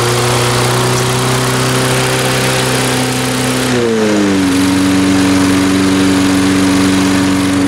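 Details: Salvaged lawn mower with its carburetor ultrasonically cleaned and reassembled, run without the air cleaner: the small single-cylinder engine runs smooth and steady, eases down in speed, then settles into an even, clean note. It is running normally.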